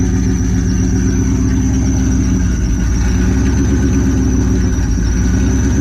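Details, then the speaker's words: Supercharged car idling after a new belt was fitted, awaiting a tune: steady high-pitched squeal over an even idle; owners traced it to the alternator pulley. "The pulley, no? Oh, it's that one. That's pretty much the alternator that's doing that noise."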